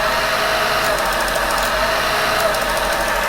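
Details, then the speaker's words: Creed 7B Mark 1 teleprinter motor, centrifugal switch contacts taped open and one brush pulled from the slip ring; steady hum broken about every second by rattly bursts as the governor cuts in; motor still far underspeed. "can hear that the governor is now having some effect it sounds like the motor is running much too slowly but it is at least now starting to work"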